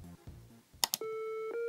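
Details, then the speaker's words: Amiga 500 Paula audio cycling test through each channel: a couple of sharp clicks then a clean steady tone stepping up in pitch; each channel plays clearly, sound output normal. "it goes through each channel here each audio channel of paula and this just keeps going until you press the end test"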